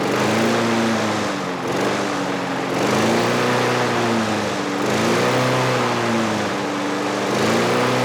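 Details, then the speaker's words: Trash-picked Craftsman 6.5 HP 21-inch push mower rises and falls in speed about every two seconds, never settling; governor arm stuck at the carburetor, causing surging (later freed with PB Blaster). "our governor arm was not moving in our carburetor and the governor couldn't control it"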